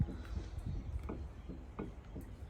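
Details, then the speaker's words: 25-year-old 250L Sottoriva tilting spiral mixer with belts removed: dull clunks, one or two a second, as the gearbox is turned by hand. Considerable gear backlash; machine is due for maintenance. "there's quite a bit of backlash in them gears. This machine is what, 25 years old. Probably due some maintenance."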